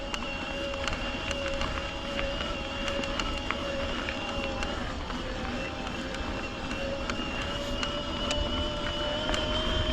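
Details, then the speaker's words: LightCarbon LCE930 carbon e-MTB, mid-drive motor climbing in assist up to max turbo: steady, high teapot-like whine over trail noise; cuts out at 20. Motor whine under load. "Honestly, this bike might be good mountain line to turn it. It caks and it sings like a teapot."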